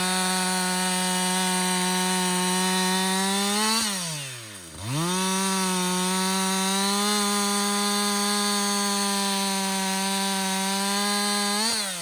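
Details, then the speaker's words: Husqvarna 562XP 60cc chainsaw, back from the shop after dealer reflashed its software for dying when hot and stumbling, bucking dead windfall about two-thirds of a tank in: high even buzz drops briefly off throttle, pulls straight back to full revs; healthy under load. "so far it's running great um I've got I'd say about I don't know two-thirds of a tank gone"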